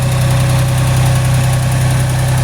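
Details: Ford 3000 three-cylinder tractor after solenoid replacement, after about 5 minutes running when the third cylinder kicks in: steady, even low thrum at idle, all three cylinders firing; normal idle.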